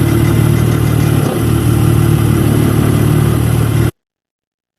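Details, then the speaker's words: Engine unit: a steady, dense drone with a rough rattling edge. The rattle's dominance changes a lot when an auxiliary unit is switched off at about 10 seconds. "the dominance of this sound let's say the rattling um changes a lot"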